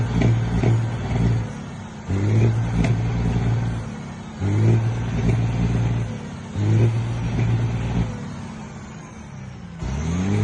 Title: Detroit 12.7 misfiring